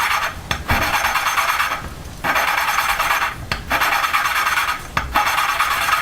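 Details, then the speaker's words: Honda GX120 valve lapped by hand with fine paste, lifting every few seconds. Soft, even rasping strokes about every 1.5 s, quieter than coarse paste, as the seat is finished; valve lapping, fine paste. "okay i'll put the fine paste on and you you'll be able to hear the difference in noise right from the start sounds like it's not really doing much it's just finishing it"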